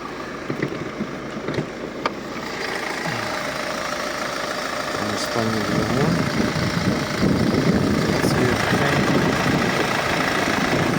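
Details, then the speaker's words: Car engine with factory xenon lights, belts and rollers replaced 20,000 ago, idles quietly and evenly after start with no knocks, squeals or rattles; normal idle. "мобіль працює тихо ніяких шумів скрипів рипів нічого немає"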